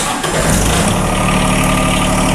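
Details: John Deere 1023E sub-compact diesel tractor that stalls only in cold temperatures, started outside in winter blizzard: catches and settles into a steady, even idle with no misses or knocks.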